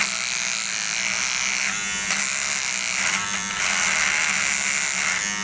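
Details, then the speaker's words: Wahl All-in-One battery trimmer cutting horse hair: a thin high buzz sags and changes pitch each time it meets bristles; its weak battery and motor bog under load, unlike the corded Wahl Peanut. "this battery on the wall all-in-one is terrible it didn't cut through the horse hair very well and you could just see feel and hear its lack of"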